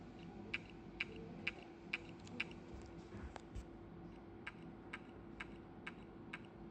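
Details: New Toshiba 1.8-inch hard drive that worked two days and is now not detected: sharp dry clicks about twice a second against a steady faint hum; drive stuck clicking and not coming ready.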